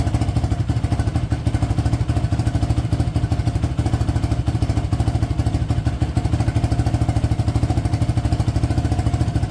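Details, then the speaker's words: 2006 Yamaha YFZ450 single after restoration and rebuild; even, steady putter with a clean low beat, no rattle, knock or smoke: healthy idle. "smoke not even rattling anymore"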